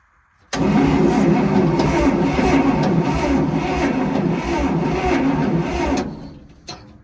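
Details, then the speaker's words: Bantam truck crane sat for years in quarry, cranked with spark tester fitted: starter turns engine at even beat about five seconds, never catches; no spark, points to be checked next. "Nothing. I want to check one more time. I pushed down the plug a little more. Nothing."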